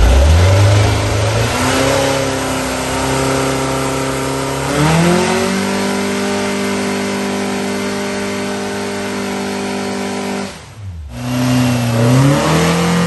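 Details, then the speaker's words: New 2275cc air-cooled VW engine, dual 44mm Webers, Engle 120 cam, warmed up after timing set, carbs synchronized, idle mixture adjusted and valves readjusted: clean, even revs rise and settle, steady pitch, no misses or knocks. "all right so this one's all ready to go sounds good runs good timing's good linkage carburetors everything's dialed in no leaks vales been readjusted"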